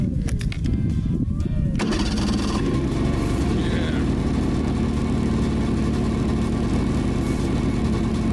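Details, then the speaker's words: 2017 Ski-Doo Skandic 550 WT, 550cc two-stroke, after drive belt replacement, cold start at -10 after a week unused: short crank, fires straight up, steady even idle without misses or clatter; normal cold start and idle. "So let's start it up. Check. Not been started for a week, so you'll have to see a cold start. It's -10 today."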